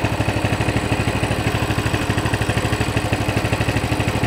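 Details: Coleman CT200 mini bike, non-adjustable carb, throttle return spring disconnected: an even single-cylinder putter at a steady idle of about 1500–1600 rpm, near the 1700 target, with some fluctuation. There are no misses, and the clutch stays disengaged: a normal idle.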